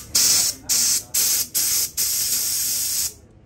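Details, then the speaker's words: Extra aerobatic aircraft's clogged smoke-oil line being blown out during repair: five short, strong bursts of clean rushing air, the last held about a second, with no sputter; the line is now clear. "That sounds way better. Yep. I can see nice all the way Okay. through."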